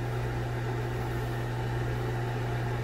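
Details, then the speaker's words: Broan Heat-a-vent bathroom exhaust fan and heater, heater not working, rated 70 CFM and believed about 4.0 sones; steady low hum with a smooth airy rush, no buzz or rattle, not buzzy at all, normal fan operation. "this one's not as buzzy. Actually, not buzzy at all."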